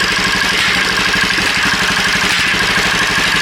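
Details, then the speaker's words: Columbia Par Car golf cart motor-swapped from its 8 hp Briggs & Stratton, cold-blooded, heard through custom exhaust: quiet, even idle at about four pulses a second with a faint valve-spring tick; normal idle, engine sounds healthy. "You mainly hear everything running through that. You can kind of hear the valve springs a little bit, but it is what it is."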